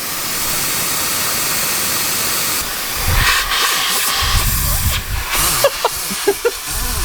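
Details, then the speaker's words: 2004.5 Ram 3500 5.9 Cummins with low power, boost leak test at about 7 psi into the turbo inlet: steady, sharp hiss changing as hands probe the joint; boost escaping at a cracked rubber intake coupler. "holy sh no wonder the truck has no power stands like it got a lot of power"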